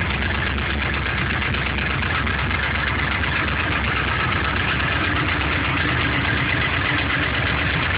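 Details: LS1 aluminum V8 from a C5 Corvette, on 10W-30 conventional oil, cold idle: loose, uneven knock about two per second over the rumble; owner suspects piston slap, unconfirmed; runs strong, no leaks or smoke.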